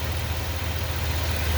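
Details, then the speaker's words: 2020 Ford F250 Super Duty 7.3 with 10-speed automatic, idling in park: steady, even low rumble with no grinding or whine; the transmission noise heard in drive with brake on is absent. "now you notice here i got it in park there's no noise right there's no noise"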